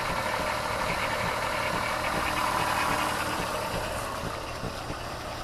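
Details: Petrol car idling after replacing the ignition coil on misfiring cylinder 5 and clearing the code: steady, even hum with no stumbles or skips; normal idle.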